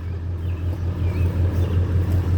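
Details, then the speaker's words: Ford 7.3 Powerstroke diesel with a recurring fuel issue, just after a hard start with heavy smoke: deep low idle with a steady pulsing beat evening out; rough idle smoothing out, cause not yet known. "i didn't think it was gonna smoke that much running a little rough surprise is actually smoothing out that's crazy man"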